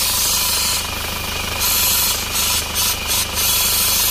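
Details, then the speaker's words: Isuzu Panther diesel at low idle with a loud steady high-pitched hiss from the PCV valve in the valve cover, stuck closed and clogged; blow-by pressure blasts out when the dipstick is pulled. "Setelah mesin hidup itu akan mulai timbul suara mendesis seperti ini. Ini asalnya dari sini."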